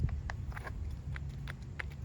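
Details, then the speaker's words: 2001 Dodge Ram 1500 V8 4x4 wheel hub spun by hand. Uneven dry clicks, about three a second, over a quiet background, with substantial play: a worn wheel bearing, unlike the smooth, quiet new hub. "This hub, if you listen, nice, smooth, quiet, no play at all. And then here's the bad hub. You can hear the bearing, and"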